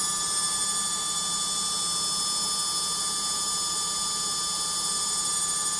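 Loud steady high-pitched whine with several piercing tones holding through the fast spin; the source isn't clear from sound alone.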